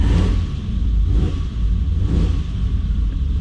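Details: Vintage Ferrari 330 GTC with Bendix/Facet electric fuel pump, in neutral after cold start with throttle pumps; deep smooth note swelling and easing with three throttle blips, revving cleanly; normal cold start revving.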